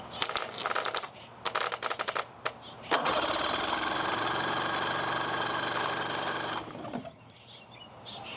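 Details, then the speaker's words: Outboard boat engine sat 10+ years, starting fluid sprayed in carburetor, throttle open: clatter then about three and a half seconds of steady buzzy cranking that never fires; no spark found. "So, it didn't start right away. So, what I'm going to do is check spark."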